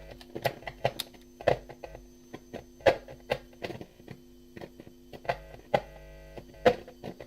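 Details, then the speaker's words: Arcade machine audio: constant low mains hum under game sound with sharp crackles as leads are handled; interference suspected from a lead to the cheap subwoofer amp, ground-loop hum. "No, now we've got interference."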